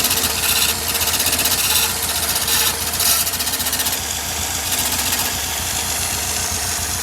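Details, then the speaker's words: Restored 1965 VW Beetle engine running: a hissy metallic scraping pulses about twice a second; the owner suspects engine tin rubbing on the timing gear, not yet confirmed. "I don't know, something's, that tin is rubbing. It's rubbing on the timing gear there."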